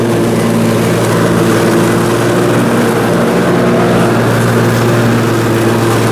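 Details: Briggs & Stratton Intek M44 twin on a mower after total carburetor tear-down and clean: steady even twin-cylinder drone holding one speed under mowing load, no hunting or surging; sounds way better, normal running.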